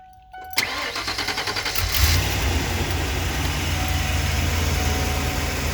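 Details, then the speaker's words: 1994 Ford E350 Club Wagon 351 V8 starting dead cold: catches and settles into an uneven, lumpy idle with occasional stumble and hesitation, a misfire that eases when warm and is worst under load, such as uphill. "it's worse when it's dead cold you can hear it in the idol when it's warm it kinda goes away and certainly gets a lot better"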